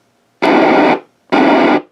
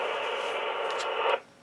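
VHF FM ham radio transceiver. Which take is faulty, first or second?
second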